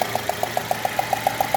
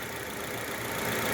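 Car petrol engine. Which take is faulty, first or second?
first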